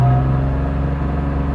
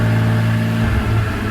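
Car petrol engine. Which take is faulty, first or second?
second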